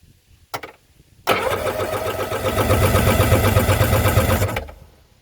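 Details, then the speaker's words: Yamaha jet ski being prepped for winter, battery connections cleaned, compression gauge on the PTO-side cylinder whose plug looked lean: about three seconds of steady, even cranking pulses reading about 160. Good compression. "so we're still up about 160."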